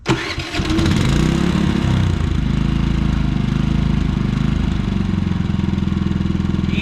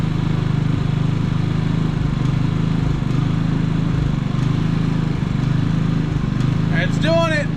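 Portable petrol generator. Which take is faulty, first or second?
second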